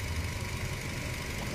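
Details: Nissan Almera with a cranking, hard-start problem traced to weak fuel pump pressure, with pump replacement planned: smooth, steady low idle after warm-up, even hum with no misses, knocks or ticks, and no check engine light.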